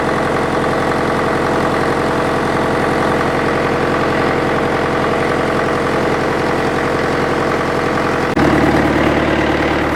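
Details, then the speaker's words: International Harvester 554 diesel tractor after about five years sitting, air filter cover off: steady idle clatter about three beats a second, no misses or knocks; runs clean with little smoke, owner suspects glazing; loose water pump belt. "it's running pretty clean starting to starting to Chum a bit out now but it's just magnificent it sounds great I've got the cover off the air Fielder so you can hear a bit of induction noise"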